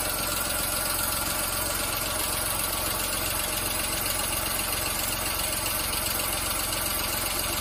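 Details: VW Fox 1.2 L 6V three-cylinder (BMD): steady, even idle, no stumble or missed beats; balanced, healthy firing.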